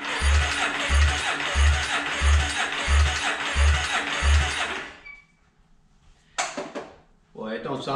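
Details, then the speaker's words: 2008 Yamaha Raptor 350 ATV cranking during compression test; slow, even cranking thumps with no firing; 60 PSI measured, at least 100-120 needed, so it won't start; worn top end. "Yeah, 60 PSI. That ain't gonna start. We need to have at least 100, 120. All right, we got problems, for sure."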